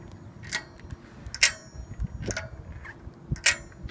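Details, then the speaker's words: Diamondback Recoil Comp 27.5 mountain bike, rear wheel removed and found wobbling in the frame: sharp irregular metallic clicks and clanks as the wheel is rocked side to side, something broken loose; rear hub suspected, owner doubts it merely needs tightening. "So you can hear something's broken loose in there and it wiggles back and forth. So back wheel hub is also suspect on this bike."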